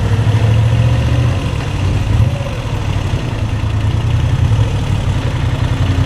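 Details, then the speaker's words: New Moto Guzzi V7 III, warm after 75-mile ride, idling in neutral with clutch pulled in: steady low V-twin thump with no obvious rattle; bucket-of-bolts rattle heard with clutch out is reduced, cause unknown. "Now you can hear the cute little bucket of bolts really good. Neutral, clutch in."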